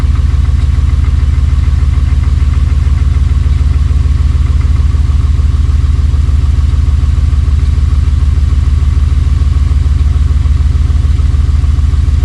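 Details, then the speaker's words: Buggy idling just after a cold start, after sitting about 3 months following an overnight swamp burial; probably barely 100 miles since getting it running: low, even idle thrum, roughly 200 pulses a minute, no knocks or misses; healthy warm-up idle. "Okay. All right. Well, it started, you know, as you can hear."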